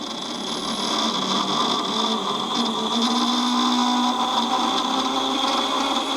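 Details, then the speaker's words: Ferguson 3V36 JVC-made front-loading VHS recorder in fast-forward: loud steady whirring with a high whine, noisy motor, old grease possibly sticky; noisy fast-forward. "i think all the ads have been cleaned a by plant tape very noisy though"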